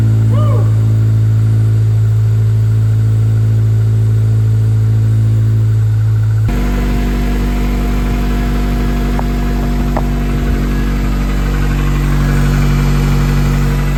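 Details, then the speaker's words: 2005 Acura RSX base automatic race car, first start after engine swap, coolant not yet bled: engine fires and settles into an even hum, then steps up to a higher steady speed without knocks or misfires; runs fine. "That was a big relief just to hear that run for that little bit. um just to know that at least it fires and it sounded decent when it ran."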